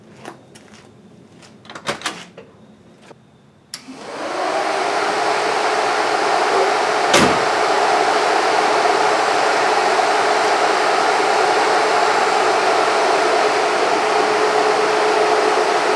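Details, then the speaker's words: Newly installed replacement electric radiator fans on a 1968 Mustang's aluminum radiator, switched on: smooth steady air rush with faint even hum, virtually no vibration, replacing original fans that caused a bad sound/vibration while driving; normal operation. "sounds that's nice that's nice virtually no vibration I can hear the wind blowing through them and if that's all I end up with that's perfect"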